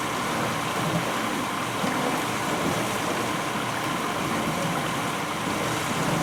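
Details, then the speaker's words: 1991 GE Potscrubber dishwasher on its first load with dishes inside: even, continuous rushing hiss of forceful water spray, with no grinding, clunks or pump whine. Normal wash spray. "even with the dishes in there you can just hear how just the force of that water you know it's amazing"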